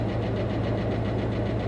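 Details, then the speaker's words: Dodge Charger V8 at Copart, about 63,000 miles: low steady idle with quick light tick in time with engine, like valvetrain tapping; hoped to be from sitting parked, doubtful it clears; cause unconfirmed. "the engine sounds well she's got a healthy tick going on I'm hoping that maybe it's been parked for a while and that's going to clear up I'm not sure that's going to clear"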